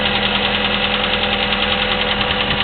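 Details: Chevy S-10 2.2L with 154K miles, Flowmaster 40 exhaust, at idle: steady light quick ticking from the top end, suspected valve train clatter, present for the last 45K miles.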